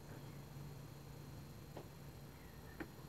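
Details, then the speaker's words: iOptron CEM40 telescope mount, RA axis while slewing: faint sharp pops about a second apart over low motor hum, each time the damaged, worn section of the RA drive belt passes inside the housing over the sprocket; guiding had become erratic in RA. "yes it seems to be that the damaged part of the belt is inside the housing every time it makes this popping sound"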